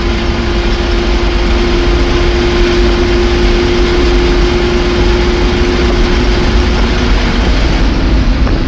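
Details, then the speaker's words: 1966 Ford F350 dump truck driven at highway speed above 55 mph: steady, loud mid-pitched howl over road rumble that goes away with the clutch pushed in; unsure whether transmission or driveline noise. "This truck has, it's not terrible if you keep her under 55, but there is a massive howl if you get her up a little higher."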